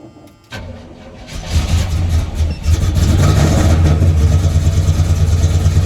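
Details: Square-body Chevy truck with FiTech EFI after a crank-no-start traced to flooding (wet plugs pulled, cylinders aired out and oiled); a short crank, it catches cleanly and settles into a steady, even idle with no misses.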